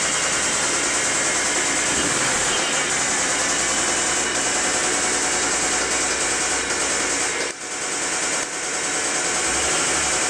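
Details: Mitsubishi 3000GT SL at steady idle: light, fairly regular top-end tapping about three per second; owner suspects the lifters but is not sure.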